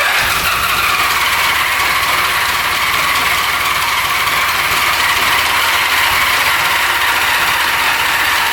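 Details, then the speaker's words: 1975 Honda Goldwing 1000, stored 25+ years, extra gas down the spark plug holes: long steady cranking that nearly catches but never runs; no fuel flowing from tank, clogged petcock starving the carbs. "Seems like it's pretty clogged up here. Not much coming out. She's pretty clogged. Yeah, no gas coming out at all. Gas tank must be clogged."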